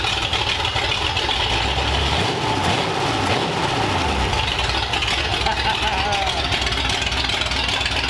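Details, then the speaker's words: 1932 Ford Roadster four-cylinder Banger engine, idling in the car on its modified headers with pipes run under the car, first run since about 1953; smooth steady low rumble, no knocks or misses, healthy even idle. "it sounds healthy it sounds awesome I know we ran it on the Run stand but having it in the car with the pipes going down under the car it sounds awesome and it just idles really really well"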